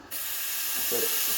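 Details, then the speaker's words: Breville Barista Express BES870 espresso machine steam wand just switched on: takes about 10–15 seconds to warm up, then the steady hiss strengthens to full pressure, with a brief gurgle partway; normal steam wand operation. "so when you turn on the steamer i've just turned it on it'll take about 10 15 seconds to turn on and warm up give it a few more seconds and it'll become stronger"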